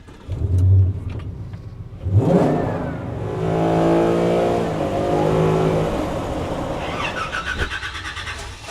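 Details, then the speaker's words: Ford 572 Boss Nine big-block in a 1959 Ford F100 4x4: quick start, then a deep lumpy idle that revs up cleanly and settles back, no knocks or rattles; healthy big-block, sounding very different from a Coyote motor. "I mean, it sounds like a big block. When we fire this up, it's so much different than when we fire up like a Coyote motor."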